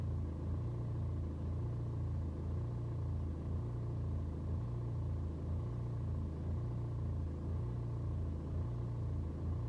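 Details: BMW 120d N47 diesel on a cold start: low idle with a slow surge roughly once a second, revs rising and falling unevenly for over 2 minutes; fine when warm, no helpful scanner codes, cause unclear.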